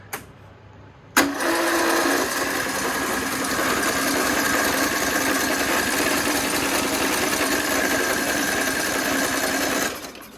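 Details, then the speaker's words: Toro Z420 Timecutter swap engine cranked with the spark plug out and no fuel connected: steady, even whirring at about four turns a second with no knocks or catches. Spins over freely; normal cranking. "Sounds good. Well, she'll crank. I mean, I know she'll run."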